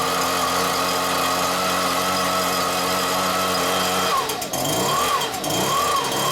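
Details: Stihl BR86c leaf blower two-stroke after engine rebuild with new crank bearings and cleaned carburetor, first start: buzzes evenly at steady speed, then blips up and down cleanly under throttle; runs and revs normally.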